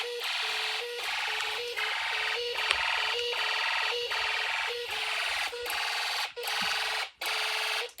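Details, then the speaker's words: Snap Circuits fire alarm during system test: loud, harsh electronic tone in even bursts about 77 a minute with short gaps; the sounder is working normally. "Yep. So it's kind of loud."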